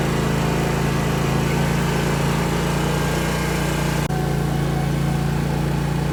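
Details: Zero-turn mower test drive right after replacing the hydro belt: steady, even engine drone with low firm hum, no knocks, slaps or squeals; runs smoothly and healthy.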